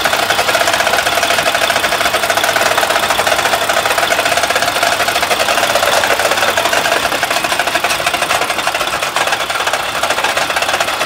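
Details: Mack truck MP8 diesel that will not build air pressure; a previous mechanic said it needs a new engine. Fast, sharp, loud metallic tapping rattles steadily over the running engine; rapid knocking, cause unknown.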